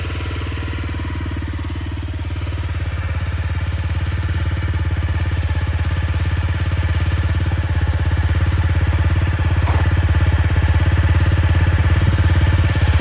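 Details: CRF250L single thumps evenly at idle, then revs climb gradually with smooth firing and no clear top-end rattle; the work concerns cam chain tensioner replacement for a clatter heard when closing the throttle. Normal running.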